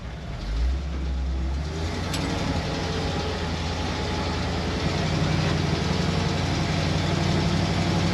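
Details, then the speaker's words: 1966 Ford F100, 302 V8 with AOD transmission from a 1993 Mustang, idling with a deep rumble and raspy puffing at each firing pulse; exhaust leak, possibly from a port size mismatch. "she's got an aod in her out of a 93 Mustang and that exhaust leak is driving me insane that is the next thing we're fixing I cannot tolerate exhaust leaks that is awful"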